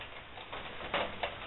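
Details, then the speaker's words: Barrel woodstove after air was shut down, stovepipe having reached about 600 degrees; a couple of sharp metallic ticks a quarter second apart as the hot stove steel cools; thermal expansion ticking. "don't want too hot of a pipe that's just dangerous that's the sound what it's doing trying to cool down a little bit"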